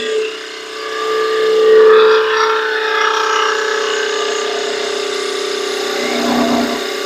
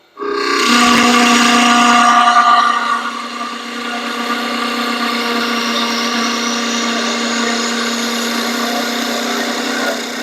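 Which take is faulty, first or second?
second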